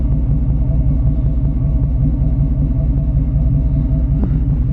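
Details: 2004 Hemi V8: steady idle with an occasional puff of air from the passenger-side exhaust (odd cylinders 1, 3, 5, 7), said to sound worse on deceleration; cause not confirmed.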